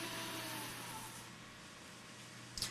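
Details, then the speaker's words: Windows Server 2008 NAS PC after hardware upgrade: steady airy whoosh with a faint hum and constant pitch; the noisy one is the chassis case fan, not the CPU fan, possibly to be slowed via Q-Fan control. "it's that case fan that's making all that noise"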